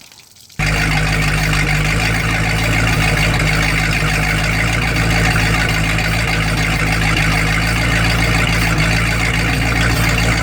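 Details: Boat engine run out of water on earmuffs with garden hose, cranked to test newly crimped battery wire connectors: fires at once and holds a steady, even idle, low rumble, no misses or knocks; normal idle.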